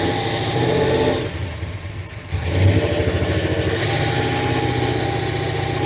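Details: Carbureted V8 truck idling while plug wires are pulled one by one to find the dead cylinder: idle stumbles with an uneven, lopsided beat, one firing pulse missing each cycle; dead cylinder misfire.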